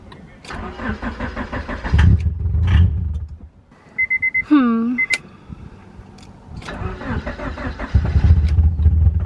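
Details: Honda Prelude BB6 (5th gen) after fuel pump and main relay replacement, on starting fluid: starter churns steadily at about three and a half beats a second but the engine never fires; crank no-start.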